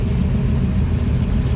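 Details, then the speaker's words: Normal idle: LS-swapped IROC-Z breathing through a 4-inch Hooker Blackheart muffler that replaced a tinny MagnaFlow; deep, even V8 burble with a steady low rumble and no knocks or misses, sounds real good. "Yeah, it sounds good, sounds real good."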